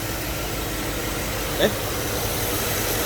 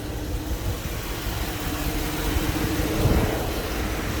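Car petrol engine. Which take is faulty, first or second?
second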